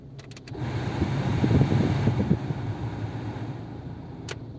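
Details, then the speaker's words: 1997 Nissan Altima at idle after a new rebuilt MAF sensor was fitted without its O-ring, meant to cure random lean running with fuel trims pegged at -25%. The electric radiator fan cuts in, the idle dips slightly as the load lands, then settles and runs fine. "that's because the the engine fan just turned on was that the engine fan yeah i heard it interesting that that energy load can make a difference like that still running pretty good though"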